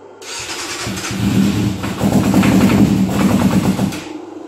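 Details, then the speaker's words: 1997 Yamaha YZF600 Thundercat that sat in a shed, air box off: catches on starter fluid, sputters unevenly a few seconds and dies; fuel supply suspected as the problem, fuel pump function unclear. "Well, I think fuel's the problem for this bike."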